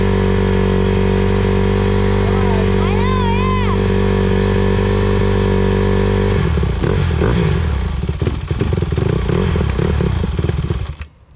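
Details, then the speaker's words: 2020 Honda CRF150R big-wheel single-cylinder dirt bike, sat unused, first run after pop start on choke; uneven lumpy low-rev idle, bogs and stumbles picking up; they suspect carb clean needed; low-end stumble from lean carburetor mixture. "Carb. Carb clean, yeah. Well, at least it ran. Yeah, it's too bad. Why is it making that sound?"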